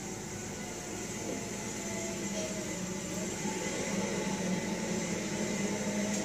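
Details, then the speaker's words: 1956 Cadillac automatic transmission whining and squealing as it pulls away in Drive and upshifts from first into second; also whines in reverse; improved from before but still being diagnosed. "So yeah, he's trying to diagnose a problem here. This whining, squealing."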